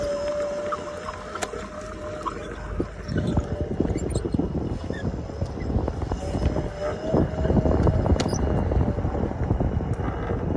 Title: S18 Chirping Noise 🐥